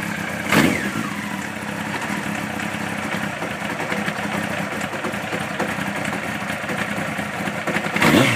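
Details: 1992 Honda CBR 900 motorcycle idling with a steady mechanical clatter and a couple of short revs; suspected abnormal engine noise, and the owner wonders whether it is the timing chain, the timing chain tensioner or something else.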